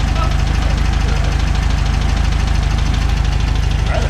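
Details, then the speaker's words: VW Beetle flat-four after plug wire firing order corrected: even, regular chuff at about three beats a second with no stumbles; normal smooth idle, engine running again. "that sounds better don't it oh Beetlejuice is alive again"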